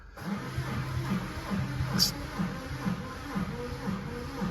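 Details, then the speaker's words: 2016 Ford Mondeo crank-no-start, slow cranking on a booster pack, amp clamp on number 2 injector: uneven beat with weak or missing compression strokes; waveform shows no compression event on cylinder 2, two cylinders low on compression. "Okay, if we're looking here, our trigger on number 2 cylinder, we have no compression event."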